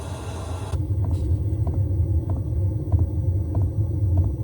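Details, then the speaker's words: Diesel heater dosing pump: sharp light ticks about every 0.6 s over deep low rumble; normal pump ticking. "The Rain has definitely demonstrated that having a sound in front of that ticking noise back here has been very effective. How effective? I'll show you. So here we are with the tick, tick, tick."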